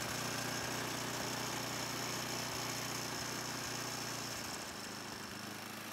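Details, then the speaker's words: 2005 Ariens Sno-Thro 926101 snow blower test run after traction belt replacement, on gas probably a year and a half old: small single-cylinder runs steady and even, about three pulses a second, no stumbling; starts right up, runs cleanly. "I put some gas that was probably a year and a half old, but it starts right up."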